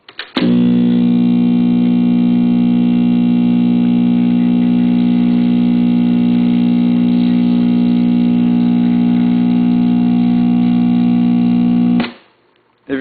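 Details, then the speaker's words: Recapped Webcor tube tape recorder, switches cleaned, recorded with the level fully up: a loud, steady low hum with strong overtones swamps the playback for twelve seconds and the recording is barely audible. Mains hum on playback. "listen very carefully you can hear the recording barely come through there is so much hum it just overthrowed the recording and you couldn't hear it very well"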